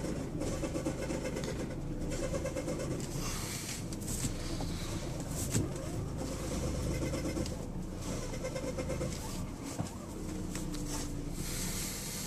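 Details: 2003 Lexus GS300 idling: scratchy, chattering whir with quick light ticks, sounding like the belt but owner says it isn't; tensioner pulley bearing already replaced just in case; source unclear.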